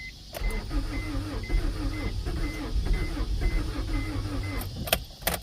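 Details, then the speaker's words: 1992 Acura Integra, sat over 5 years; new distributor and starter fitted. Starter whirs steadily, about two turns a second, with no catch; cranks, won't fire. Battery running low; owner spraying starting fluid. "She wants to run. She wants to run so badly."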